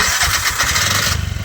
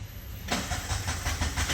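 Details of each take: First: Bajaj CNG BS6 single-plug engine: catches and races instead of settling to idle; speaker says the idle cable must be loosened and reset to cure the idle problem. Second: Bajaj CNG BS6 single-plug engine after idle cable adjustment: catches and settles into a steady low single-cylinder thump with even pulses and no misses; idle holds correctly with no sensor fitted.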